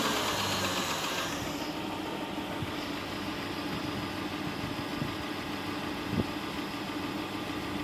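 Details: 2010 Chrysler Town and Country, hydrolocked, after reassembly with new intake manifold gaskets and plugs and coils reinstalled: starts and holds a fairly even idle with a steady low drone, no knock or misfire. It runs well while smoking off the water and oil in the cylinders.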